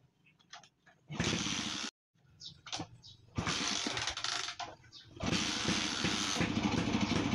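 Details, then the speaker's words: Rusi 125 Macho motorcycle that dies when headlight, flasher or horn is used; kick-start catches in uneven sputtering bursts that drop to silence, never steadying: misfiring engine that stalls, cause not yet found, side cover to be removed next. "Oh palyado so P ganyan ang issue mga boss umaandar palyado ayaw magtuloy"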